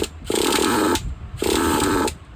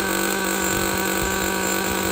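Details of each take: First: Used Traxxas Jato nitro 2.5: short bursts of high buzzy running that die out every second or so; fires but won't keep running until low-speed fuel is richened an eighth turn and the idle gap opened. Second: Used Traxxas Jato nitro 2.5 after the bad throttle servo was found and marked: steady high-pitched buzz at constant revs, smooth and even with no misses or rattles; the engine runs fine.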